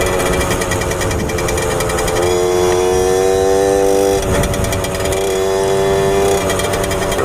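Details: 1997 Suzuki JR50 50cc two-stroke kids' dirt bike after restoration and hidden gear mod, under load: buzz climbs, then falters and stutters near the top of the revs; top-end breakup.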